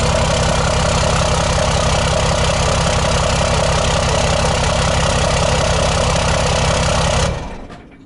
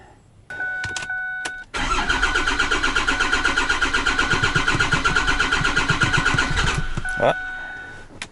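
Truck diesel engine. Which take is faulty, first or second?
second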